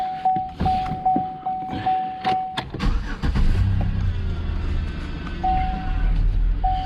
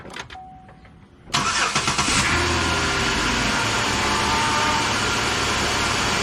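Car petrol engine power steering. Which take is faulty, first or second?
second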